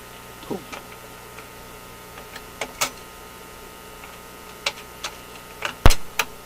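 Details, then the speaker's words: General Electric C-411 radio phonograph after mechanism maintenance, run with no record: scattered clicks and firm clunks as the arm and trip mechanism cycle through reject; the changer completes its cycle properly. "hey it worked right that time let's turn it on again pretend there's a record okay good reject"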